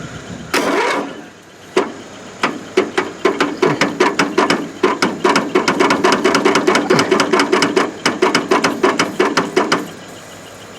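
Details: Free riding mower on jumper cables: starter clunks in ragged bursts, engine barely turns, never fires; owner suspects stuck, flooded or hydrolocked; carburettor float later found sunk flooding it, rat's nest probably under shroud.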